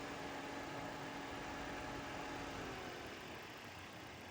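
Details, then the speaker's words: Ford work truck started cold after a failed radiator hose was replaced and coolant refilled: a quiet, even idle at about 2,000 rpm with no knocks or ticks, expected to drop once warm; no leaks found. "You know, truck idling at 2,000 RPM. That's because it's cold. It's gonna drop when you warm up."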